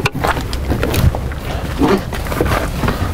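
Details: 2014 RAM 2500 6.4 L V8 with intermittent low power, at start-up: lumpy, uneven thumping with irregular gaps as several cylinders misfire; scan shows rich on both banks and a bank-to-bank trim problem, cause not yet confirmed.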